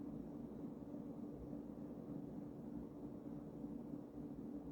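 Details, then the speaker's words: Early-1980s Emerson-built Sears 52" ceiling fan, KB-55 stack motor, running on high with a slight wobble despite balancing: smooth even low hum and airy whoosh, no knocking or rubbing; normal running, probably high RPM. "these KV 55s I think typically go pretty F pretty fast pretty high RPMs"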